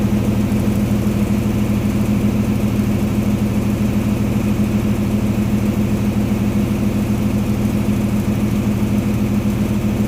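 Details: Diesel engine first started after being rebuilt following water ingress, exhaust manifold just refitted: steady, even chug at a constant beat with a firm low drone, no knocks or misfires; runs healthy.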